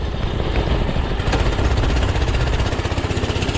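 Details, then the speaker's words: Discontinued Doodle Bug DB30 minibike, small single-cylinder engine, after carburetor change, throttle cable and other fixes: pops along steadily and picks up cleanly under throttle with no misfire or stumble, running far better than before; normal running. "she's running way better than before"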